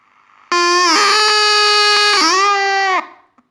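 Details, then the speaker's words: Water-damaged Panasonic RF-562 battery portable radio, first switch-on after reassembly: a loud, steady howl with overtones, its pitch stepping slightly before cutting off. The amplifier circuit is faulty; the capacitors were found leaky or out of spec. "we have something wrong in the amplifier circuit yeah so I will have to did disassemble it once again"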